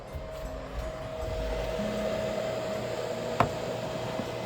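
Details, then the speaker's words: Budget gaming PC built to beat the PS5, running Remnant 2: steady loud whooshing airflow with faint constant mid-pitched hum; owner points to CPU cooler, GPU and especially power supply fans, temperatures not a concern; excessive fan noise under load. "So, now you're starting to be able to hear it. This is actually surprisingly quiet for this computer. Um, oddly enough, yeah, this is still quite noisy."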